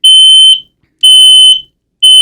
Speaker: it'll sound three times, there will be a pause, and then three more beeps. And that's the indication that your smoke alarm actually detects smoke.